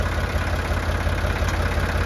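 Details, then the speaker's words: Ford 3610 diesel tractor in neutral, power steering not working: steady, even low thrum at idle with smooth rhythm and no knocks or misses, normal healthy running. "neutral put it in neutral fire it up sounds super good that's just how they're supposed to sound right"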